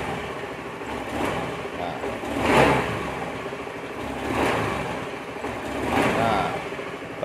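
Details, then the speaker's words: Honda Beat FI scooter hesitating on initial throttle: three quick blips about two seconds apart, with revs climbing sluggishly and sagging, even on gentle throttle. Pump pressure is good at 40 but drops after key-on because of a leaking fuel pump pressure relief valve. "kita gas langsung itu dia walaupun kita Gas pelan dia tetap berebut"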